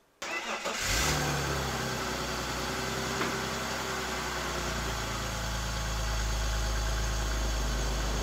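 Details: 2001 BMW E46 330i automatic cold start after oil filter housing gasket, VANOS oil line and new oil filter work; catches within a second and settles into a steady, even idle with no knocks, ticks or misfires; normal cold start and idle.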